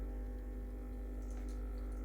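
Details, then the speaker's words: Freshly serviced, warmed-up Breville Barista Express BES870 pulling a double shot, programmed volume. Pre-infusion, then full pressure on the gauge. Steady low pump buzz with faint trickling, no sputter. Normal extraction, though flow possibly a bit slow from too much coffee. "keep an eye on the pressure gauge so it'll go for pre-infusion then it'll go to full pressure"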